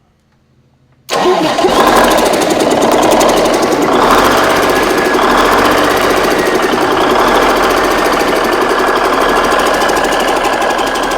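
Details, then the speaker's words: Rebuilt Big Cam Cummins NTC 365 diesel, new rods and mains, cranks and catches quickly, settling into steady even diesel clatter at idle with no odd knocks; runs good. "What do you think? Runs pretty good, huh? Sounds good to me. Not bad for my redneck rebuild."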